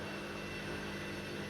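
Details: Washing machine on drain and spin after an E03 error was fixed: steady, even whirring drone with a faint high whine and no thumping or scraping, the drum spinning normally.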